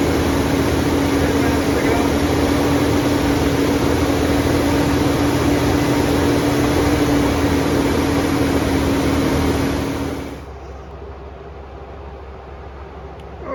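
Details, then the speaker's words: Big-block 454 V8 in a 35-year-old RV, running during cam break-in on a 27° morning. A steady, even fast-idle drone with no knocks or misses, then a clean shutoff. Normal fast idle, though break-in was cut short by overheating and the owner suspects a bad radiator. "but we didn't make it through the Breakin period and uh it's it's sounding pretty good"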